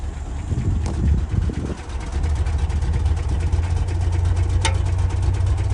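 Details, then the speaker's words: 1967 Lincoln V8 at idle after fixing exhaust leaks: a deep, steady rumble with no puffing or ticking heard along the pipes, which sound much quieter than before; normal exhaust at idle. "okay yeah that sounds much quieter so I got these two plants here I don't hear any any leaking at all now"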